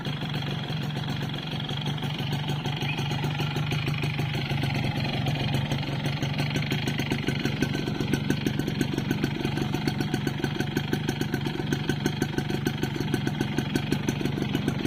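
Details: Yamaha Force 1 two-stroke idling; fast, rattly knock running through every beat; piston slap.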